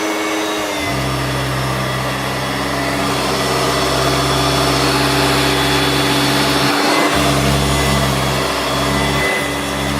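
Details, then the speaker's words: Hoover Turbomaster U5094 upright vacuum after refurbishment of both seized motor bearings (fan-case one had spun on the armature shaft), brush roll off: steady, even motor hum at constant pitch, no rumble or grinding; smooth, healthy motor. "It sounds very smooth now. Both the motor bearings were seized."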